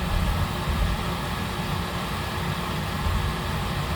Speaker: I've done this before I know it's going to it's not going to start because we run out of gas I have to bleed the system first guys I have to bleed it it's not going to continue